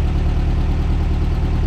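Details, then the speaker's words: 1600cc VW dune buggy under way in second gear after oil and spark plug change and fixing swapped plug wires on cylinders 1 and 2: even, deep flat-four rumble, no knocks. Normal running; a low-RPM under-load issue remains. "just happy it just sounds like 1975 in here it's awesome in here out here wherever I am"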